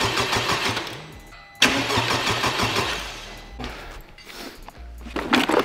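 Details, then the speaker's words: Wrecked 2021 Honda Civic Type R just after its first start during the rebuild, with broken motor mounts, a holed oil pan and the oil cap off. The starter cranks in short bursts of about two seconds and never catches. Owner suspects something tripped, possibly the ECU. "does it have like a defined cranking amount of time it sounds like like you can't just hold it and keep it cranking"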